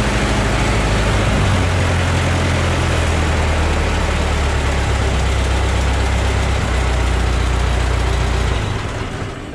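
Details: Ford Model T four-cylinder idling after cold start, new muffler and front exhaust leaks thought sealed: low, steady chugging idle about four beats a second, no leaking puffs, fading out at shutdown; quieter, healthy running.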